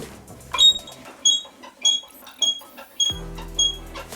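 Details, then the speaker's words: SmoothStar surfskate truck squeak: high, thin squeaks about every half second with each carve, persisting after sewing machine oil was dabbed around the washer of the small thruster bearings; next step is oiling the spring ends. "that has a squeak so i'm going to place some sewing machine oil on the outside of the small thruster bearings to see if that removes the squeak"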